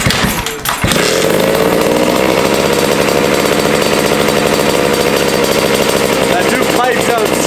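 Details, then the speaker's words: 1982 Honda MB5 two-stroke after head gasket fix, Malossi kit with Dellorto PHBG 21mm carburetor and new Proma GP exhaust: short start-up then even, buzzy steady revs without hanging high; running properly, air leak appears fixed. "she's running really good right now i'm boxing the whole garage right now it's a two-stroke though"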